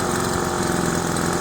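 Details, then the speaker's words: Old Craftsman 25cc two-stroke gas leaf blower after new fuel lines, a replaced torn diaphragm and a carburetor clean and adjustment: a fast, even buzzing idle with steady pitch and no hunting or stumbling. Normal idle. "idles really well you can hear the kind of the sound of how the gas air fuel mixture should be simply that sound pretty good pretty satisfied"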